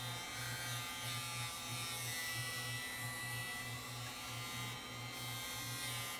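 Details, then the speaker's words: 1981 RCA VET650 VHS VCR on power-up: fast high whir with pulsing buzz, steady and too quick; head drum overspeeding with scrambled picture from drum servo fault, suspected capacitors in sample-and-hold circuit. "okay that head drum sounds like it's going way too fast and we have a nicely scrambled pitcher"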